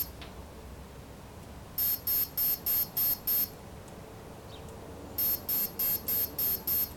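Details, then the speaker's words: Align T-Rex 500 3G flybarless helicopter BEC speed controller during programming: two runs of six even high beeps about three per second, the BEC output voltage option set to 5.5 V, then the final setup chimes. "so once you hear that final set of chimes let's finish the setup"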